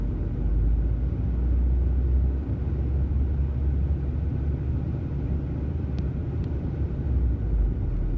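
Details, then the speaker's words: 2003 VW Passat 1.8T (AWM), fully warm after a test drive, no throttle: the idle oscillates with a slow rhythmic rise and fall. Owner suspects a vacuum leak or a failing pedal. A replaced PCV check valve and breather hose did not cure it. "not giving it any gas at all. It just oscillates like this. Fully warmed up, been on a test drive."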